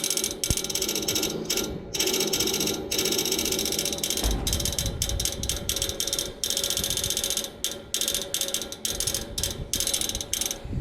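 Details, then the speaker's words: Outdoor AC unit clicks all day and night while idle with nothing running: rapid repeated ratcheting clicks with brief pauses from inside, stops once the fan turns on; persisted after the motor was replaced, cause unknown. "Nothing is running. This sound will continue until the fan comes on, then it stops. It's not coming from here, it's coming from inside."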